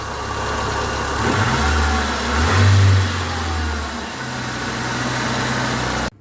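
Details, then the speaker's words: Petrol engine idling and revving after lubricating the suspect accessory pulley bearing and refitting the belt: smooth, the squeal that appeared after rainy weather is gone. "ну вот собственно я все диагностика окончена ремень подставил песка нету никакого"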